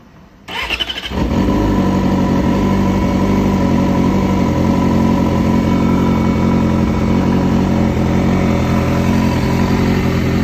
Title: Weird rattle noise sounds like it’s right under the air box new motor just put in